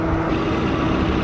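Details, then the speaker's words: Car R134a AC recharge at idle, refrigerant added slowly via gauges, at eight ounces charged: steady even mid-pitched drone that never cuts in or out; AC compressor now running continuously. "all right we have made it to eight ounces you can hear all the compressors running continuously now"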